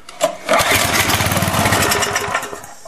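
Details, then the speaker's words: Briggs & Stratton 5 HP pressure washer engine, cold start after cleaning: cranks and catches quickly, runs briefly at an even, healthy rasp with no backfire, smoke or odd rattles before dying down; engine sounds good. "okay well that actually sounded very good and no spoke or anything so yeah looks like i got a good engine"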